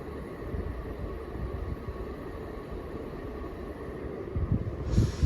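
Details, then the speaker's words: Emerson 1895 series 42-inch ceiling fan on high speed: a steady, low, loud whooshing of blade air with no knocks or ticks. Loud blade air noise. "Now that air noise that the fan making and stuff, that air noise is kind of loud and stuff."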